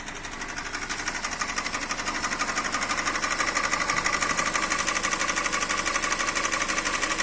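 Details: 2013 Hyundai Elantra 1.8 engine running: sharp, very even tapping about three times a second; engine knock, cause unknown.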